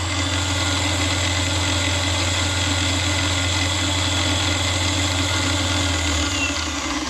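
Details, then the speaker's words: Grizzly G0748 mill after DC motor upgrade with new 50 mm and 37 mm belt pulleys: spindle at 6,500 RPM on low range, steady hum with smooth high whir, nice and quiet, no knocking or grinding. "Nice and quiet. Right there. we got 6,500."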